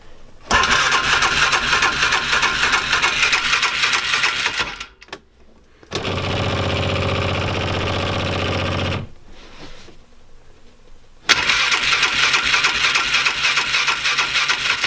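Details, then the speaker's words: A non-running 2005 Polaris Ranger 500 UTV, in neutral with the choke on, cranks in repeated fast, even bursts but never catches. A mouse nest was then found in the air filter. Cranks but will not start. "It won't start, it won't start."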